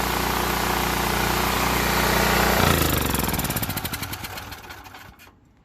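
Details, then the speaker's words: Small generator engine that had sat over a year and only ran on carb cleaner, now repaired and fitted with a new pull cord. It runs evenly at steady speed, then cuts off and its pulses slow to a stop; it runs smoothly. "all right nice and smooth I wish I recorded before but it was uh only starting with the carb cleaner and it wouldn't idle on its"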